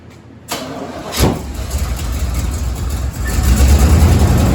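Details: 1987 Chevy 3500 454 TBI camper special, fresh distributor cap and rotor just fitted after an old cracked, corroded cap: starter cranks and the V8 catches roughly with an uneven, lumpy beat; misfire from crossed spark plug wires.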